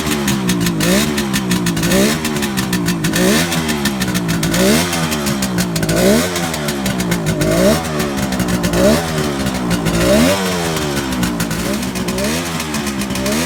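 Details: 1971 Kawasaki H1 500 two-stroke triple, rebuilt engine and carburetors, very cold start on choke: revs rise and fall raggedly, flat and uneven; missing on the center cylinder, cause not yet found.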